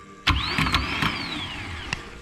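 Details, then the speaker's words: SR20-powered Nissan S14 after gearbox work: click, then a clean high whine spins up and winds down smoothly; starter tested off the car runs freely. "hopefully she's good to go sounds good"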